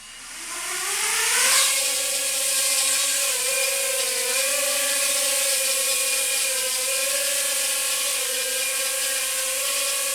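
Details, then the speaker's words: iFlight Nano 1206 4500kv brushless motors on a drone: high motor whine spins up and holds with a faint buzzy roughness and slight vibration; one motor has a little play in its bearing. "you hear that little bit of vibration I'll show you that in a second I'm not a huge fan of that one of these motors has a little bit of play in the bearing"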